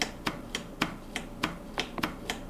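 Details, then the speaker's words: Cannondale hybrid bike after years in storage; brake tension reset with the barrel adjuster after a loose feel. The lever springs back in crisp, snappy clicks with no drag, which is normal brake lever return. "nice and snappy you get that when they hit at the same time"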